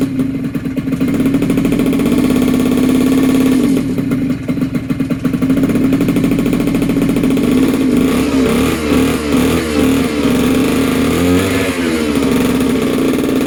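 Buzzy small two-stroke holding a steady high pitch, then blipped and revved cleanly with no knocks or misfires; runs normally.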